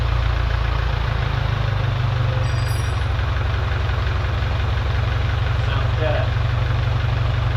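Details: Farmall Cub tractor, 6 V battery at 6.34 V, started on choke after new radiator install and generator rebuild: steady, even low thump at idle, no misses or knocks; radiator not leaking but rebuilt generator not charging.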